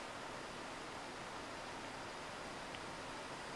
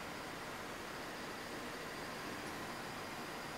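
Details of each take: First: Old desktop PC after replacing a noisy power supply with a silent one, just booting: soft, steady airy hiss with no whine, rattle or fan roar; huge improvement over the original jet-engine noise, normal quiet running. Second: Old desktop computer booting just after fitting a new silent power supply; steady even airy hiss from the spinning hard disk and some CPU fan noise, main power supply inaudible, normal CPU fan and hard disk noise.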